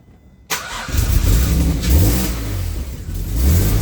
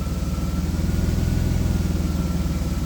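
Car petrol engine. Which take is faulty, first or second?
first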